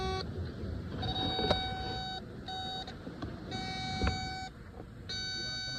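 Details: John Deere 50G mini excavator no-start: irregular on-off bursts of a shrill electronic warning beep over a quiet rumbling background while it fails to start.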